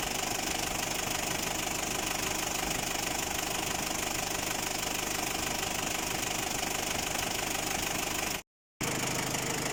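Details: Ford Ranger WL diesel at idle, fitted with a Chinese replacement cylinder head after overheating; a sharp metallic knock about 3.5 per second over harsh clatter, engine knocking at idle, cause still being sought.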